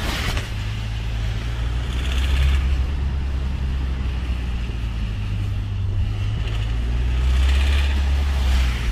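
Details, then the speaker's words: Honda Accord CU3 diesel with a DPF light on, fuel leaking from the exhaust and white smoke: a heavy rumble with a rough, uneven knock under acceleration. The owner thinks it sounds like a bottom-end bearing, and it persists after the DPF light goes off. "fed up with this car i don't even know what that sound is like the dpf light is on and then this sound when i accelerate it sounds like the bottom end bearing"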